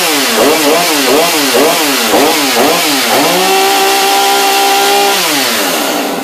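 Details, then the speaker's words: New Husqvarna chainsaw, first start after installing bar and chain: blips up and down a few times, then holds clean steady high buzz settling toward idle, no stumbling; healthy fresh engine. "a little better this should just sit idle sounds like it might do the job"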